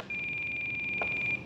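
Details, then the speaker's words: Blade Fusion 360 helicopter on the transmitter bench: one steady high-pitched beep over a second; timer starts at 1% throttle though set for 5%. "you hear that why is it starting the timer I'm not at five percent see look I'm at one percent"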